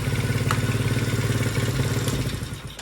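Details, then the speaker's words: Kids' ATV/mini bike small single-cylinder engine after new carburetor fitted, battery rigged temporarily, idling with a quick, even putter of about three and a half beats a second, steady and healthy. "we got a ripper certified ripper [Music] idle's good"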